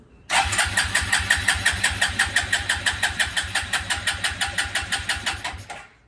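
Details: 2000 Suzuki Quadrunner 250 4x4 ATV, fuel on reserve, choke on: steady starter cranking at about three pulses a second for five seconds with no firing. Cranks but won't start.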